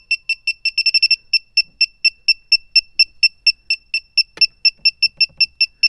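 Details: Refrigerant leak detector (sniffer) on a car A/C system that won't hold vacuum: high shrill beeps about three per second quicken into a rapid burst near the evaporator; expansion valve or evaporator suspected as the leak, not confirmed.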